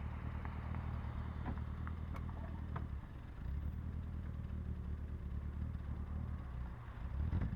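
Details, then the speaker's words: 1966 Triumph Spitfire MK2 with rebuilt 1296cc engine from a Mk3, on its first road drive with air cleaners removed and carbs awaiting readjustment: under wind noise the four-cylinder revs up cleanly without stumbling; normal revving. "problem well that already sounds better yeah oh my God this wind noise sorry about that guys"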